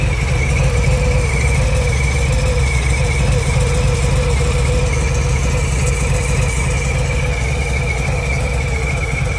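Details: Harley-Davidson Milwaukee-Eight 114 V-twin idling with a steady buzz and light clicking from the cam area over the lumpy low beat.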